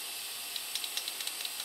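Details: Cleaned, rebuilt Toyota 22RE fuel injector (new filter, O-rings, gaskets, pintle cap) spray-tested into a bucket: steady hiss with fine light clicks as the pintle opens, even clean spray; healthy injector.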